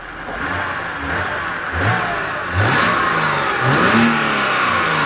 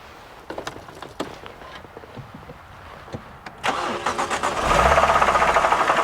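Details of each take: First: BMW E92 325i manual: several quick blips rising and falling cleanly, smooth crisp revving with no knock; engine healthy. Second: BMW E92 325i manual, restarted at idle: deep heavy even knock about three per second, seeming from bottom of engine, suspected rod bearing but actually failed AC compressor.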